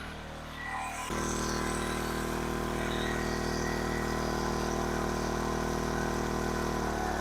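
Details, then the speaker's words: King Canada 1500 W generator, Chinese engine, running a hair dryer between medium and high: steady, even drone pitched noticeably high, no hunting; overspeeding at 76 Hz, governor spring tension set too high, to be turned down. "again it's a little high 76 htz see if I can turn it down a little"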